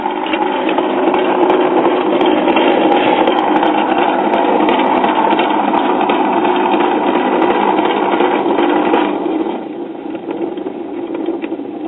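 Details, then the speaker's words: 1959 Spear-Tone tube kiddie record player, first power-up before any repair: worn turntable motor gives a rough buzzing drone with fast even flutter, plus hum from a bad filter capacitor; motor awfully noisy. "this motor is awfully noisy and but that motor is rather worn out"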